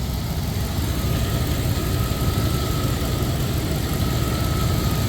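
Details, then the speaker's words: 1999 Dodge Durango SLT after sitting 14 years, with a new idle air control valve and a forgotten vacuum leak fixed: steady, even low idle rumble with no hiss, stumble or hunting; normal idle. "That sounds good now. Mint. Good as new. Oh yeah. She's back to normal."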